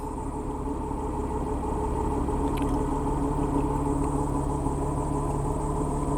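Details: 2007 Chrysler PT Cruiser just after replacing the camshaft position sensor, started in rain: steady even low hum with no knocks, misses or stumbles; smooth healthy idle, owner checking whether the check engine light cleared.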